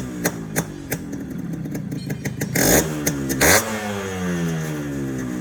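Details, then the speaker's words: Restored stock Yamaha RX135 two-stroke motorcycle, only tank and side-panel colour changed: crisp popping two-stroke beat climbing cleanly with each throttle blip and settling back evenly; healthy, well-sorted engine after restoration. "வண்டியோட beat sound கேட்டிருப்பீங்கன்னு நினைக்கிறேன். இந்த வண்டியோட beat சவுண்டும் சரி, இந்த தீமை பற்றி சொல்லவே தேவையில்ல."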